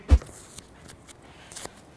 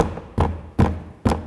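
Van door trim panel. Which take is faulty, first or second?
second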